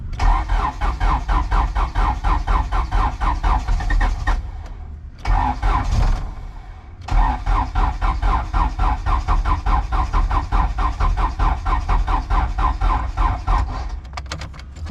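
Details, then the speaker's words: Turbo H2B-swapped car on spark plug wires wired into the ECU, battery and jumper both very low: sluggish, uneven cranking at about four to five turns a second, stalling and restarting without firing; slow crank, battery too low. "it battery's too low"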